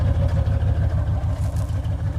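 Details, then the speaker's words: OBS GMC Yukon after gas tank relocation and new fuel hoses, no leaks: deep, even idle burble, about six steady low pulses a second with no misses or ticks; normal smooth idle. "it's not leaking anymore so she's good to go guys there it is guys she's running on the two-door gas tank guys"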